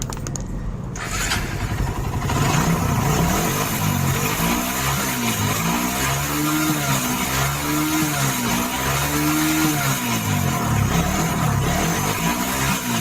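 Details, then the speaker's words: Suzuki Satria FU 150 on petrol, lacking power and straining at pickup: after starting, throttle blips rise and fall slowly and sound strained; down on power, carburetor suspected (vacuum to be checked). "Ya, seperti itulah suaranya Mas Bro. Jadi kurang tenaga dan kurang plong ya, kurang enteng jadi."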